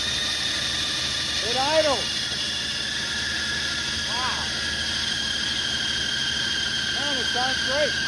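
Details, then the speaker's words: 1980 Ford F100 sitting outside 20 years, first start on direct-wired battery with mystery oil in cylinders: loud steady high-pitched squeal through the run; fan belt slipping, AC compressor first thought seized, later said not stuck. "tell us the ac is stuck the ac yeah that uh belt noise is uh the fan belt because the ac is stuck"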